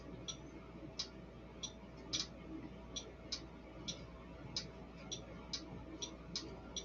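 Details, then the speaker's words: Prototype BS270 MOSFET switching circuit for a Stryker 955 driving a relay: crisp clicks about twice a second as the relay pulls in and drops out, so the circuit works. "the relay the way i've got set up just so that you can you may or may not hear the clicking whenever i do that"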